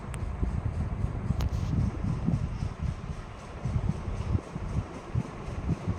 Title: Ceiling fan KDK KY153 Noisy Tower sound Ohio omg 2003 first iteration